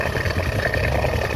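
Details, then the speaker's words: Honda Star (Astra) small motorcycle with a chain-like top-end clatter that was not the cam chain: after repair, with oil now reaching the top, it idles with a smooth, even soft patter and no ticking. "Tuh ya, suaranya jadi halus ya teman-teman, halus."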